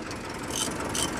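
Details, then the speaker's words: Mitsubishi Canter 4M42 diesel knocking from first start: uneven, shaky idle with a knock roughly every half second; check engine light, fault code injector number 1, cause still being traced before repair. "Ito na yung 4M42 na andar pa lang, knocking na."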